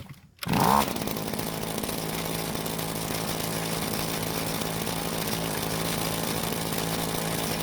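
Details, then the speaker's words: Green Machine two-stroke trimmer after fixing drive shafts that didn't reach between gearbox and clutch drum: head now spins, steady high idle with rough rattle; driveline vibration, owner suspects play at gearbox and clutch drum, gone on throttle. "As you can see, the head is spinning now, which is great news, but there's some driveline vibration, which goes away when I squeeze the trigger."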